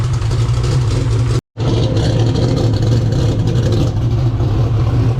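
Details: 2000 HP turbo Ford Mod motor V8 after intercooler, valve seat and exhaust leak repairs: deep, heavy rumble under load, spooling in 5 seconds at about 5,000 ft higher altitude, strong with no misses. A pinhole leak at the number 7 EGT port was found later.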